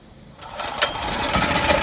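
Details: Generator that wouldn't start, first start after fitting a complete replacement carburetor instead of a rebuild: the small engine fires within half a second and climbs to a quick, busy, even chatter, running steadily; normal start and idle.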